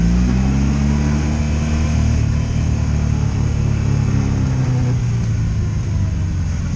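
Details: 2002 Honda Magna VF750C V4 during a rebuild, first warm road test run non-stop with no ignition cuts or bucking; jerky transmission noted. Pitch rises and falls smoothly with the throttle, no stumbles or cut-outs. Normal running on road.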